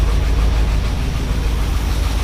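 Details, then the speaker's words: 1978 Ford F-150 with 460 V8 at idle: deep, uneven, lumpy stumbling idle with lots of air puffing out the exhaust; misfire from a worn-flat camshaft lobe. "so as you heard in the uh when we were just running it a little bit ago we've got a miss and it's and it sounds like there's a big air a bunch of air coming out the exhaust"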